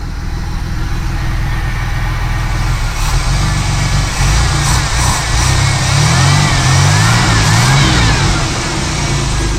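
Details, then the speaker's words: 1979 Pontiac Firebird, V6 just revived after years of sitting, oil checked good: clean rises and falls through several blips, smooth and even with no misses, knocks or rattles; smokes a little, likely old oil. "Oh, she runs freaking good. That's just too cool."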